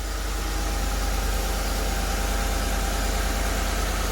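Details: Ford F-150 after rebuild, with a replacement belt-side part: steady, even idle with low rumble and no squeal, chirp or rattle from the belt; quieter, normal idle.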